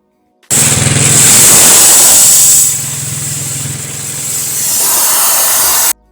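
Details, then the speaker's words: Go-kart mower with a new jackshaft, at about half throttle: the drive chain rasps loudly on a bare metal guide, audible over the engine. Adding pads to the guide made it much quieter. "as you just heard you could hear the chain over the motor and that was just uh at like half uh throttle i'd say it's all full throttle this thing would be the absolute ear pain"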